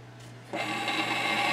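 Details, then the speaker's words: Teac Nostalgia GF180 stereo with record player in phono mode, no stylus fitted: as the platter spins up, a dry hissing scrape starts and grows louder. The platter sits high on one side, rubbing on the stylus protector lodged underneath it. "Oh, that does not sound good. So I noticed right off the bat, it's setting up on one side. Nope, I see the problem. The stylus protector is underneath the turntable."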